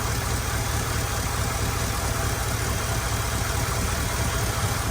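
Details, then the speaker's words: Chevy Tahoe electric fan conversion without tune, engine at operating temperature with AC on: steady low whooshing roar over the idle, no rattle or scrape; fans cycling on and off properly, normal cooling fan operation. "You can already hear them. So they're cycling on good."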